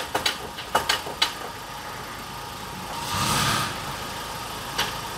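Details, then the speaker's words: Ford Ranger off-roader in four-wheel drive: quick burst of five or six hard clunks from underneath as it rocks, also present in 2WD; differential judged in bad condition, needs removal and inspection. "duyuyorsunuz değil mi takır tukur takır tukur sesler geliyor takır tukur alt taraf bildiğin alt tarafta korkunç ses var"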